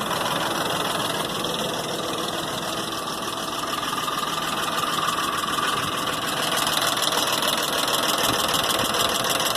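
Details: 2001 Ford Expedition V8 at idle after timing chain replacement: sharp, even ticking about three a second, first suspected as exhaust manifold leak; actually seven failed hydraulic lash adjusters on passenger-side head, oil passage blocked by gasket plastic.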